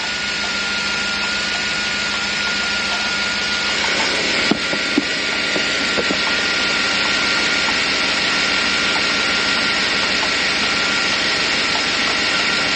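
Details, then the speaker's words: Truck cooling system being refilled with coolant, engine idling: steady loud idle with thin high whine and scattered irregular rattles and clicks, percolating in the radiator; trapped air moving through the cooling system, coolant level low. "Yeah, you can hear all that rattling. It's air moving through the system."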